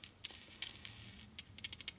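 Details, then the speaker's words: Sifton heavy-duty lifter from a 1972 Harley XL Ironhead Sportster motor being rebuilt after failing at 1000 miles: loose metallic maraca-like clicking as the roller is rocked; needle bearings are missing inside the lifter roller. "Oh, there's a problem with that one. Yeah. I can hear it already. It's a Maraca. See, it was rolling like this."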